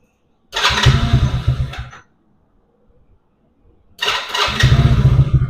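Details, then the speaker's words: 110cc Chinese ATV single-cylinder after the intermittent-spark repair. It fires up promptly twice and runs with a quick, even beat; starts and runs normally. "So this how it looks finally. High starts and works."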